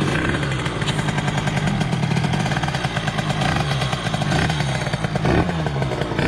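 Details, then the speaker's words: Derbi DRD Limited 2005, Euro 3 engine with 70cc 2Fast kit, 28 carburettor, KRM exhaust, first start after rebuild: two-stroke revs unevenly and rasps with hesitation between blips; carburetion not yet tuned. "pour les gars la moto est pas du tout régler"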